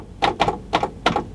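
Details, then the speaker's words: Sony CFD-G500 boombox from a cockroach-infested, corroded unit, powered up on woofer mode: four sharp, dry clicks within about a second with no music; clicking but no audio output, subwoofer amp IC suspected faulty, not confirmed. "Oh, don't tell me still I've got a woofer. I can hear it clicking."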